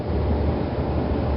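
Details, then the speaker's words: Whirlpool Calypso GEW9868KQ1 washer after vacuuming and spraying CRC 2-26 into motor bearings, drum roller guides and idler pulley bearings to cure motor shaft squeal: steady low hum, no squeal or chirp; normal running. "no more squeals operation normal"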